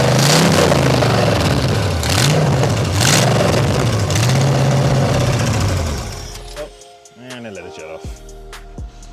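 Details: Nissan S14 with 5.0 V8 swap, new two-barrel carburetor, distributor: deep, lumpy burble rising and falling with light throttle blips, firing even and steady under music. Healthy, normal running.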